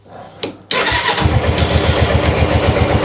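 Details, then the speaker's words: GS engine warming up with the choke fully off: uneven, lumpy beat near four per second that stumbles and nearly dies instead of picking up revs. "Come on, keep running. No, no, no, no, no, don't die. Don't die. Oh, we're getting a bit of revs. No, don't like that."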